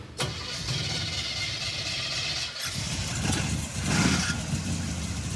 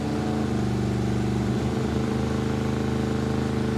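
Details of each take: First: 1957 Chevy Bel Air junkyard car, small-block V8: runs ragged with uneven spitting, popping and stumbling bursts as throttle opens after coil swap; not fuel, ignition misfire suspected, HEI distributor module to be replaced next. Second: Junkyard 1957 Chevy Bel Air with small-block V8 and Turbo 350, after fitting an aftermarket HEI distributor: even steady V8 burble, clean low throb, hesitation gone except one small stumble. Normal running.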